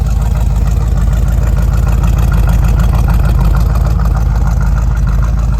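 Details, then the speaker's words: 350 small-block Chevy with hydraulic flat-tappet cam after valve adjustment, Magnaflow Super Turbo mufflers, idling in gear against a curb: deep, even V8 burble, steady pulses around three per second, no misses or ticks; healthy idle. "let me get a little sound of the, uh, of the Turbo Max is when, uh, when it's in gear, uh, idling."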